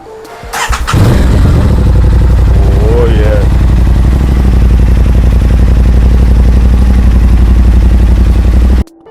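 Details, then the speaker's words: Crash-damaged 2023 Aprilia RS660 during its rebuild, coolant just added, starting for the first time since acquired. It catches immediately on the starter and settles into a steady, even idle with no misses or knocks; normal start. "Massive, massive progress. I'm super happy and I'm super thankful that well, as you guys saw, the privilege started right up for the very first time since I've had it."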